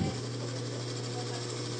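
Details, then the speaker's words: Electric fan running at speed settings 1 to 3: spins fast but noisy, with a steady low hum and a constant buzzing rattle from a worn motor bushing, which can overheat the motor or thermal fuse. "Marami sa atin na ganito yung issue ng electric fan nila. Umiikot naman pero maingay."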